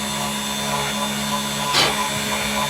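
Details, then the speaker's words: 3018 CNC engraving with a 0.5 cutter: a steady high spindle whine with an even hiss from the cut and one brief scrape; a smooth cut with little chatter or Z-axis movement and no burrs. "that's pretty darn nice especially without the burrs all over it quiet too not really much chatter or movement on the z assembly"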